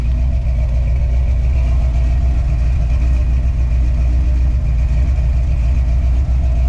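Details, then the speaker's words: 1984 Dodge D100 with a big block V8 and an Edelbrock 600 CFM carb, run after sitting about a year on fresh gas: deep, steady, smooth idle with slight belt squeak from loose belts; normal idle. "we do need to tighten up the belts a little bit you probably guys probably heard those squeaking a little bit but man this thing sounds really good"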